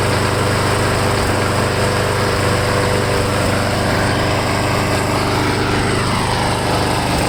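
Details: Lawn mower small engine running after Seafoam was added to the fuel tank to cure a surge; a fairly even, busy buzz with no big rev swings, the earlier hunting settling.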